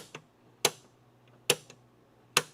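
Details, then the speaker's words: Crew-cab Charger door closing: three crisp, light metallic clicks with no rattle, the latch cleanly hitting the striker, a normal sound. "Just the sound of the latch going. That's all you want to hear. That that latching system hitting the striker."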